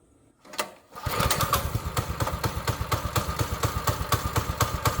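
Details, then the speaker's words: Small single-cylinder engine after replacing a fouled spark plug with a new one, long prone to running wonky and trying to pull away, drive-gear bushing needs oiling: starts in one pull and settles into a steady, slightly loping idle. "This thing has always ran kind of wonky, like wanting to take off by itself and stuff."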